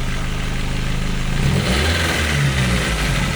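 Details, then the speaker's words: 1991 Nissan Primera P10 1.6 GA16DS carburetted, after timing chain tensioner, guides, sprockets and water pump replacement: clean pickup on throttle blips, returns to smooth idle, no rattle or tapping; carburettor hard to adjust but running well. "Mais bon, c'est magnifique quoi, regardez. Franchement ça marche très bien."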